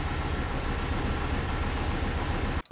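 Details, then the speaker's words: BMW E92 320i, freshly rebuilt engine first start, muffler delete so louder than usual: uneven, lumpy idle under a steady roar with one cylinder dead because one injector was left unplugged; later surged in revs. Misfire. "one injector wasn't plugged in from what I saw this car has m delete and you can hear it it's a bit louder than usual sounds decent though"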